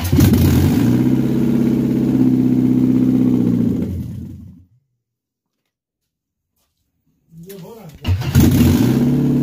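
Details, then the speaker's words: Mercedes-Benz W124 with imported 2.2 engine just installed (previous engine ran 8 years petrol, 2 years gas): starts first try, idles steady and even, shuts off about three seconds then catches straight away and settles smoothly; healthy. "Mercedes Muslim 2.2 объемi boshdan kelgan Privaznoy mana yurdi buyursa. Polpinka yurdi."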